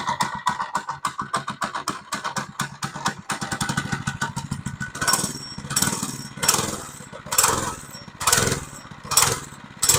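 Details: Monster Moto 80 minibike after repairs, choke on: short cranks with quick pulls, catches and settles into a popping run, blipped a few times; normal start and idle.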